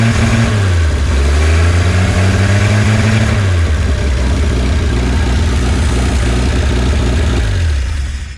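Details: 1951 Studebaker Champion six-cylinder, first run in 35 years after a carburetor rebuild, likely no coolant in the system: revs climb, then the note sags instead of picking up; it bogs on throttle because the accelerator pump isn't working, with water-pump noise also heard.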